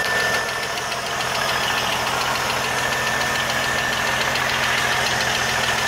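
A light, fast tick around three per second rides over a steady idle hum; a ticking engine noise, cause not yet pinned down.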